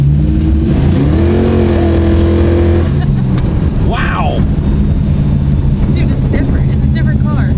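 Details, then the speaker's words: Drag-race Dart V8 with new Trick Flow PowerPort 190 heads, Trick Flow Track Heat intake, same cam and valvetrain, 904 transmission with manual valve body: holds a lumpy high note, then sags flat when throttle is snapped; off-idle stumble needing accelerator pump tuning. "It's got a little stumble. We're gonna have to do some accelerator pump tuning."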